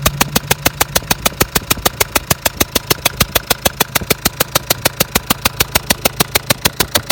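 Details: Renault Trafic 1.9: sharp, even metallic knock about three per second over idle, unexplained; still pulls normally, but strong burnt-oil smell and blowing from left side when throttle pressed; cause unknown.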